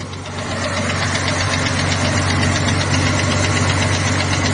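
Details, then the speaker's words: Ford 300 (4.9L) fuel-injected inline-six, with good oil pressure, idling with a fast, steady top-end tick about four per second; hydraulic valves adjusted, not an exhaust leak; owner suspects a collapsing valve spring; cause unknown. "That ticket is coming from the top end. And I adjusted all the hydraulic valves and set everything."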